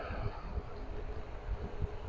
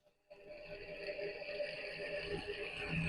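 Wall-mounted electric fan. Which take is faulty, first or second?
second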